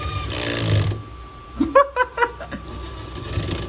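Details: HB R1001-series RC Ford Bronco two-speed gearbox with a shifter problem: motor whir, then a burst of rapid clattering as second gear won't stay engaged and gears skip.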